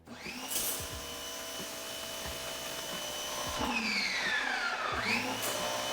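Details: Active 2.0 pressure washer after two years' use, machine in a corner making it sound louder: loud high steady motor whine dipping and recovering as the trigger is worked; normal running.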